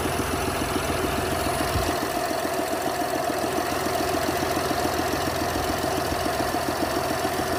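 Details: 2021 BMW X1 hybrid F48, B38 three-cylinder, 50 km: idle with rough fast ticking knock about three or four per second over steady hum; abnormal noise, source unclear.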